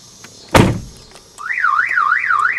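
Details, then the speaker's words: 2000 Chevrolet Impala that won't start, with dead key fobs, security light flashing, no radio or dome lights: a door thump, then a rising and falling siren wail; the anti-theft alarm goes off unexpectedly every time. "The alarm goes off every time I turn around."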